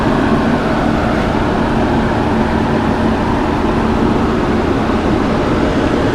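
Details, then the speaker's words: Old Monarch lathe running at 34 RPM with the clutch engaged: a steady, even motor hum with no knocks, grinding or rattles from the gearing; runs smooth and quiet. "Do you hear how nice and quiet and smooth this machine is? I mean, all you're hearing is that motor noise right there."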